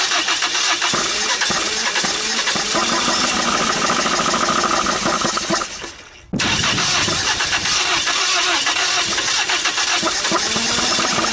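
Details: 1980 Dodge Colt Challenger (Mitsubishi Galant), carbureted four-cylinder, sat 20 years, gasoline poured into carburetor: fires hard and coughs, dies, catches again roughly, sputters, won't keep running; carburetor missing parts, owner suspects open vacuum leak.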